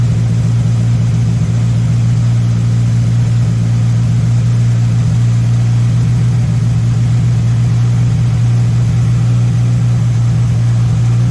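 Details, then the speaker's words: MK1 VW Rabbit with Weber 32/36 carburetor, no choke hooked up: steady, even drone at raised idle, no dip or hunting; idle too high during idle-screw adjustment, owner suspects a vacuum leak as screws seem not to change it. "sounds all right so what i'm doing here is i'm messing with the screw this one right here and right now it's suddenly high so you're gonna push it this way"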